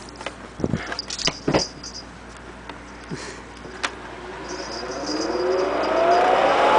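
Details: Vintage Lady Sunbeam hair dryer bought used, before cleaning: a few handling clicks, then a clean tone rising smoothly as the small motor spins up; normal startup, blows warm air.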